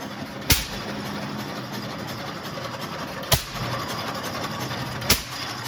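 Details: Restored Waterloo Boy 5 HP engine running for the first time after reassembly: a sharp single bang every two to three seconds then quiet coasting, a steady, healthy hit-and-miss idle.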